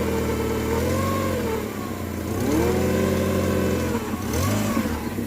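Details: Fiat Fiorino 1.3 8v Fire revved up and down: a steady whirring tone rises and falls with engine speed, possibly from the belt area. There's also an exhaust leak, a vacuum leak and power steering that had an empty reservoir. Source not confirmed.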